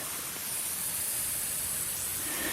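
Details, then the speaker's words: Micro hydro penstock under first water pressure test, coupling slipped about a quarter inch from its mark at the bottom of the run: steady, sharp hiss of water jetting out in a strong stream; leaking pipe coupling. "much bigger leak right here right at the very bottom you can see it's uh got a pretty good stream coming out of it"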